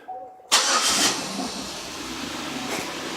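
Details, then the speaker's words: 2006 Buick Lucerne 3.8L V6 just after water pump replacement and belt/tensioner refit: brief crank, clean catch, quiet even idle with none of the earlier pump noise; belts turning, repair successful. "there don't have all that noise this is great belts all turning everything looks good"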